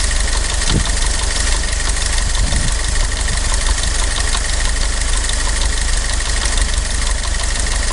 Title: Willys MB 1943 Engine Knock Part 2